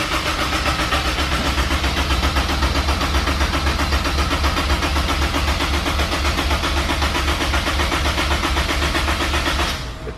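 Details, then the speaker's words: Turbo Honda S2000 build with remote oil cooler, injectors removed, cranked to build oil pressure: even starter cranking about four beats a second for ten seconds, no firing; normal oil-priming crank. "all right so it took the injectors off right now we're going to crank it try and get a little bit of oil pressure before anything else"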